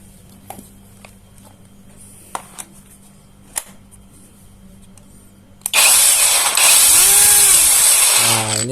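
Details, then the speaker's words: JLD Xenon brushless angle grinder after bearing replacement and reassembly, previously stuttering and dragging: a few clicks, then a clean, steady high whine winding down smoothly with no rasp or drag; now runs smoothly. "tadinya seperti tersendat ya perputaran ya yo yo Hai Ayah lebih enak udah lancar"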